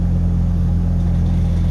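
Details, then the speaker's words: Pickup with MAP sensor and EGR codes that normally idled rough at start-up, just started after reconnecting the MAP sensor to the correct port: low, even engine rumble with no stumbles or hunting; a normal idle. "for right now it just started up it's fine"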